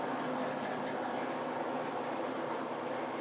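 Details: Maytag MAV5000AWW washer with a steady rough grinding rasp whenever anything spins, at a constant level; worn drain pump, fixed by replacing the drain pump; drain pump bearing grinding.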